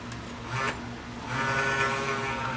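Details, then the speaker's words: Toshiba Betamax VCR, about 40 years old: a bleating, wavering squeak over the small DC capstan motor's hum from a dry bearing, quieted by oiling it. "Oh, that bearing sounds good. I better put some oil down there."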